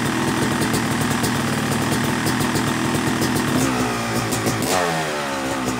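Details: Yamaha YZ250 two-stroke motocross bike (270cc/250cc) after full engine rebuild (bottom end, transmission, bearings, clutch, power valve), third start-up, with gentle revving during break-in: crisp idle crackle, smooth blips up and down, no misses or rattles; normal.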